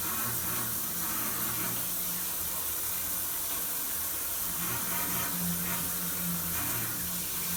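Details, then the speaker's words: Shower handheld unit: rushing water with a low hum swelling and fading in waves about twice a second; feels like vibration in the mixing valve cartridge, cause unconfirmed. "you can hear that it comes and goes in waves"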